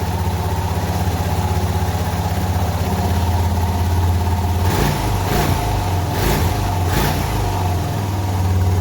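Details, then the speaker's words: Suzuki DR650 single-cylinder at idle after installing a K&N air filter, a UNI breather filter and fresh oil. Steady, even thumping with a couple of brief blips and no misses; the engine sounds slightly different and runs clean. "You can actually hear a little difference in the engine sound, which is, it's not surprising."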